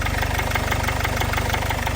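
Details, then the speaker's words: Jaguar/Land Rover 2.0 L diesel idling with a fast, even metallic rattle over the clatter every turn; worn timing chain. "like a rattly tinning on then yes that's your timing chain"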